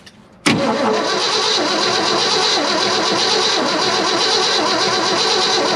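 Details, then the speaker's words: 1972 Ford F-250 after sitting at least 14 years: steady even starter whir on the key after jumping the solenoid, engine turns over but never fires; no fuel yet, gas about to be added to the tank. "all right it turns over so probably built up a little bit of oil pressure there lubricating some stuff"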